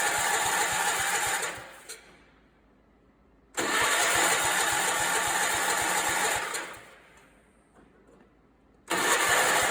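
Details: Allis Chalmers 416 garden tractor barn find, after rewiring loose solenoid connections; two bursts of steady starter cranking, about three seconds each, no firing; spark present and looks moist, but won't start.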